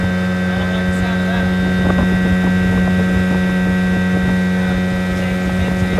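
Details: 1980 Evinrude 15 outboard after a carb rebuild, new water pump impeller and rebuilt fuel pump, at full throttle on the water: an even, high-pitched two-stroke drone held at steady speed with no stumbling or knocking. Sounds good; running normally.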